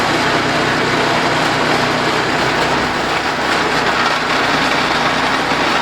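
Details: DR RapidFire PRO-XL log splitter, just back from the shop, engine at full throttle splitting dried cottonwood: loud steady metallic rattle over the engine throughout; something loose, possibly exhaust (muffler later failed), not confirmed.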